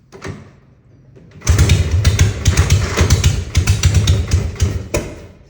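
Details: 1960 Harley FL Panhead, hard cold start despite a new carb spacer, Viton O-rings, clamps, plugs, and verified timing, points and float: kicks, a pop at wide-open throttle as the vapor ignites, lumpy uneven beats, then it dies; any throttle kills it.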